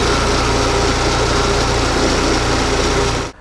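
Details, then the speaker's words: Old petrol engine running on vegetable (plant) oil instead of engine oil: steady, even idle with a smooth low hum, no knocks or ticks, then switched off; runs healthy so far. "it did well as a lubricant in an old petrol engine despite the crushing and all the rest listen to this i will turn it on"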